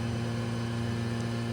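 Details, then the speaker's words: Worcester boiler, right-hand block replaced about a year earlier: a constant low hum with a rough, buzzy edge from the running fan, a horrendous motorcycle-like noise; suspected worn fan bearing plate, definitely fan-related. "Now it started making a horrendous noise, so let's turn the tap on and show you what it's doing. Bearing plate. Yep, that sounds like bearing plate in the fan to me."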